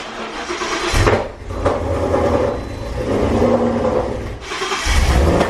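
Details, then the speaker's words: First start in a long time after a new fuel system install, with a strong ethanol smell. It catches and runs rough and lumpy, with very loud sharp pops breaking through about every second. Backfiring on first start. "it is so strong in there right now that was the loudest most obnoxious crazy noise that I've ever heard"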